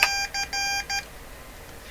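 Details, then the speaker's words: Morse Writer keyboard, believed mid-1970s and possibly a kit, for ham radio transmitters: clean high-pitched tone bursts in short and long groups, steady in pitch. It is now sending characters such as H and J properly. "okay so I I don't know exactly what happened here that it's working now but that that was an H that's right that's a j"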